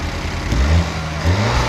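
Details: 2019 Ford Escape after no-crank no-start fixed by replacing dead battery (old one only charging to 5 V): engine catches quickly, revs briefly, then settles into steady, even idle with no knocks or stumbles.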